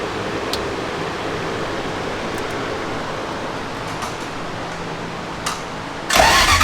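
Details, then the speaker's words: Toyota 3UZ V8 swapped into a Nissan 240SX, first start after uploading a new ECU tune with changed trigger settings: background noise, then it suddenly catches and runs loudly at a raised idle, needing about 15% throttle via unset drive-by-wire. "so we changed the trigger settings and now it starts and runs"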